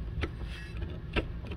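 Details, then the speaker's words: 1999 Volvo V70R five-cylinder, about 5,000 km of 80 mph highway driving: heavy dull thumps about once a second through low drivetrain rumble under slight load or decel, from failed driveshaft centre steady bearing; u-joint also worn. "you can see she's lunched so under slight load or D cell it's just thumping like this and uh nothing good can come of that it's gonna take out some pieces"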